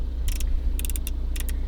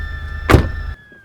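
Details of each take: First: Mercedes E350 (A207/W212), engine idling: COMAND menu control knob gives bursts of sharp light clicks when turned with no response; knob is broken. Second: Mercedes E350 convertible (A207/W212): short electric motor hum with a brief mechanical clunk as the power wind deflector rises at the push of a button, then a clean stop; normal operation.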